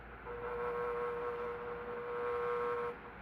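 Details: Electric fan running since the 1970s; steady mid-pitched hum with a fainter higher tone that stops abruptly. The owner first suspected the thrust washers, but the noise was motor vibration resonating through the base, since fixed.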